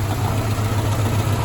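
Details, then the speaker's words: Mazda B2000 daily-driver truck idling after a fix for a knock traced to the #2 connecting rod: new rod bearings fitted on an unturned crank that needs turning. Steady, even low idle hum, no knock or tick; healthy idle. "Um, so I've been uh running like this for some time now. I wanted to uh actually needed to get this thing back on the road cuz again, this is my daily driver and uh so it's been doing fine."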